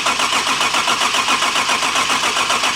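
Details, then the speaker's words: BMW E30 with fresh gas, just back from the frame shop: even, rhythmic cranking for several seconds that never catches, setting a new code. Cause was the cam sensor left unplugged. Crank, no start. "oh it's not plugged in up there oh the cam sensor that would be nice"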